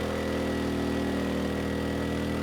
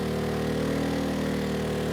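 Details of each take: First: ERAYAK 3500 W tri-fuel inverter generator running on propane with load raised from 1500 to 3,000 W; even, steady engine drone holding speed, no surging, knocking or hunting; handles the load fine. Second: ERAYAK 3500 W tri-fuel inverter generator on propane, load pushed past about 3,300 W to roughly 3,400 W; steady drone sags in pitch as the engine slows, running out of horsepower; propane gives about 10% less power than gasoline.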